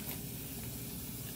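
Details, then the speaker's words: Walk-in cooler freezing product, HeatCraft Intelligen controller: soft steady hiss over low hum as refrigerant leaks by a closed electronic expansion valve so it won't pump down, not real bad; fix was replacing the EXV actuator. "can hear it leaking by um it's not real bad"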